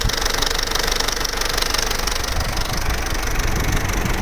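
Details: Vauxhall Corsa C Z14XEP with 86,000 miles at hot idle, with a fast, loose metallic rattle about three a second; the engine is quiet cold and after about 6 minutes of idle. Timing chain rattle, pronounced only at full operating temperature.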